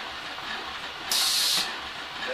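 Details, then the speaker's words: Omega Super Charger with pressure switch and purge timer being set, running: short sharp hiss of air bursting out over the compressor as the condensate purge vents too often, its timers set too low for testing. "our vent so they've got these set real low just for testing apparently"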